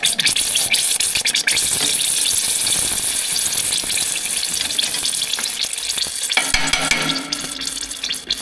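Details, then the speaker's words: John Deere 700J dozer after installing the blade on a line-bored C-frame and hooking up the two hydraulic lines each side: hissing, crackling spray with irregular spits and pops as oil sputters from a line that may have trapped air. "we just got to change two lines around here we got two of them right [Music] so like it's got air in it or [Music] something"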